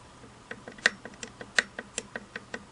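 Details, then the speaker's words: Singer 401A slant-needle sewing machine, hook drive gears after reinstalling the rotary hook, set screw only finger-tight on the shaft flat, mechanism rocked by hand. Sharp, uneven dry clicks about four a second as the gears knock through too much play: excessive gear backlash. "I've got a little bit of play. I have, to me, too much play. There's too much space between the gears."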